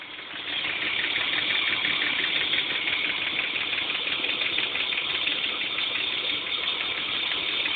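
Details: BMW M50TU B25 inline-six at idle: a fast, light metallic ticking over a thin engine hum, an unexplained top-end clicking sound.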